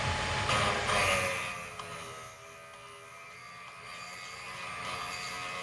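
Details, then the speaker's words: MRCM/Vevor drill bit sharpener splitting the point on a standard jobber drill. A rough grinding rasp fades to a quiet motor hum as material comes off. The bit is rocked back and forth until the grinding stops, then flipped to check centering. "Usually what I'll do is I'll go back and forth until I don't hear it grinding anymore. And then I'll flip it around one more time, make sure it's nice on center."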